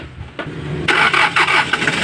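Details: Hyundai Porter diesel with hard-start problem, after replacing injector O-rings, crank sensor and now the pressure relief valve, fuel pumped first: brief crank catches almost at once and settles into steady rising run; starts quickly and cleanly.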